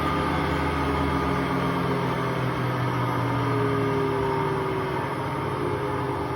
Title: Hotpoint Aquarius WMA58 washing machine || Bad bearings at 1400 rpm